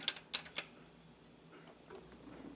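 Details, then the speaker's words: Yamaha KX-W262 1990s double cassette deck, deck B, which had been eating tapes: three crisp mechanical clicks then a faint quiet run, play mechanism now engaging normally; owner guesses a loose connector on top was the cause. "see now it's working why see that now it's doing its job I do not know why that's working now I'll take it I will take it because I don't really plan on using deck B anyways it seems to be working just fine now"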